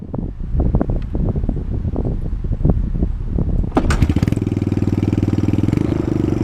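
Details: 1983 Honda Big Red ATC200e, 200cc four-stroke: engine starts and runs at a fast high idle, not yet warmed up, with a light, regular valve tick from an intake or exhaust valve needing clearance adjustment.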